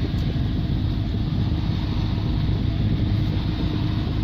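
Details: 2015 Hyundai Veloster 1.6 turbo G4FJ with 7-speed automatic, 135,472 km, front-end damaged wreck, idling after start: a steady, low, even rumble with no knocks, ticks or misses; a healthy idle.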